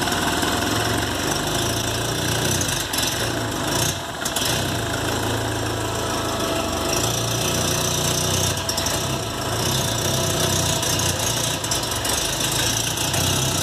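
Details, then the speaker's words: VW Golf Mk3 single-point injection with lumpy uneven idle, dips and stumbles, misfiring; faulty idle air control actuator, replaced to fix it. "para quem estava me perguntando então como é que se fale isso que aqui ó atuador de marcha lenta o carro falhando só como vocês puderam ver a introduçã"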